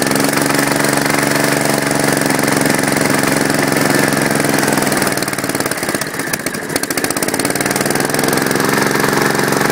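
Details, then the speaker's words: Kohler K241 engine in a Gravely, first start: loud, uneven run with a hard knocking beat over the firing, owner suspects the rod; fuel pump leaking gas badly at its nuts. "but it does run the rod sounds pretty loud which i don't really like that sound"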